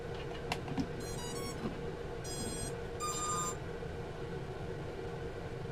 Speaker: you cannot even bind a version one transmitter to a version 2 board it just doesn't work